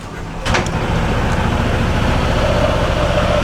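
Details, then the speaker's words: Honda ADV 160 with torque drive, after removing the torsion controller that had made noise: steady, even engine drone with smooth drive hum, no rattle or scraping from the belt side; CVT running quietly again. "Ayun guys, tahimik na ulit. Tama yung hinala ko, yung torsion controller na. Ito yung may sala."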